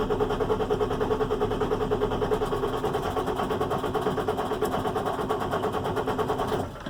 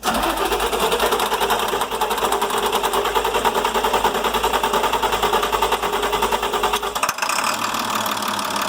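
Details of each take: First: International MaxxForce DT466 diesel, starts cold but won't restart once warm: steady starter cranking about one beat a second, never catching, with no cranking-speed drop from high-pressure oil pump; suspected low injection control pressure. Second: International MaxxForce DT466 diesel that previously wouldn't restart once warm: steady, clattering idle with even beats and no misses, running smoothly and evenly; it will be warmed up to test a hot restart.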